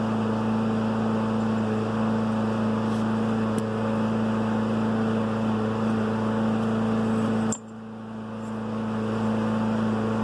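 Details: Garrett 50 trim turbo converted to GTX3076R, built 4 years ago, about 2 summers and under 10k miles; engine drone with faint metallic clinking as shaft play lets the compressor wheel rub the compressor housing.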